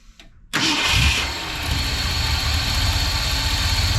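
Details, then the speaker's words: 1970 Ford F100 with newly installed Holley Sniper EFI, fuel pump on: engine catches after short crank, revs briefly, sags to rough uneven idle barely hanging on, won't stay running. "I'm going to crank it yeah it just does not like to stay running"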